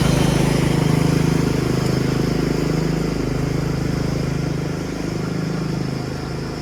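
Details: Yard Machines 13.5 HP Tecumseh 38" riding mower, after fixing slow cranking: steady low thrum with even firing pulses, holding speed without stumbles or misses; single-cylinder engine runs normally, charging 13.5 volts.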